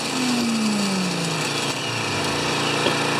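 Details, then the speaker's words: Older Honda EX1000 generator after repair (previously ran only on choke); governor turned up slightly to about 110, small single-cylinder engine then runs steadily at constant speed after a brief falling tone; normal running speed, though it won't drop to idle without load. "I'm going to turn up the governor just a tiny bit so it should probably jump to 110 [Music] that's pretty good"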